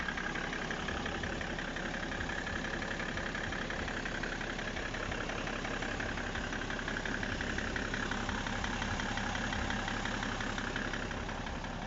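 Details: BMW E60 535d diesel at idle: a steady clatter with a regular knock of roughly three per second over it; the owner asks whether the engine runs correctly, and the cause of the knock is not pinned down.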